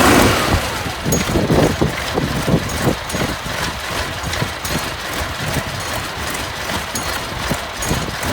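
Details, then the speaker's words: Junkyard Massey Ferguson 1155 tractor, long parked over a hydraulic issue, just restarted after priming fuel to the filters: rough but steady diesel idle clatter, uneven knocks around three per second, no grinding, good oil pressure; runs healthy. "baby don't sound too bad I got good oil pressure"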